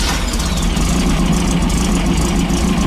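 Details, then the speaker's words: 1915cc VW Manx buggy air-cooled flat-four idling smoothly with no stumble after 009 distributor replaced by 034 and ignition timing set; steady low thrum, slight belt squeal from loose belt. "what it's supposed to do. And no stumble."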